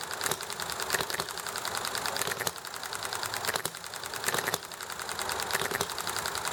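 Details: Enjomor hit-and-miss engine running nicely, with highway traffic and chatting in the background: sharp firing bursts every second or so between coasting ticks, firing only as it slows; normal hit-and-miss running.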